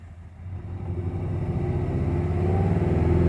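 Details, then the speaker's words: 2016 Ford Mustang 2.3L EcoBoost, replacement engine, 128,572 miles, check engine light flashing: deep, lumpy thumping that stumbles unevenly with the engine shaking badly; misfiring rough idle. "Look at how it's flashing, which means it's misfiring. This thing is shaking bad."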